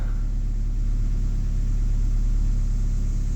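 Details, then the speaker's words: Running engine of a 2001 Ford Escort ZX2, first start in months or years after starter-circuit trouble, low on fuel; even low rumble idling steadily with no misses, knocks or hunting. Normal idle. "That is a running engine. And she seems to be running fine, too."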